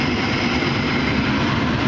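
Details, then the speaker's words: Furnace inducer motor, mounted up top, starting once the door switch is pushed in, ahead of the igniter and flame; a steady, even whoosh and hum with no knocking, rattling or wobble, running normally. "Now, once you push the door switch in, this motor up top, we call that an inducer motor, comes on and"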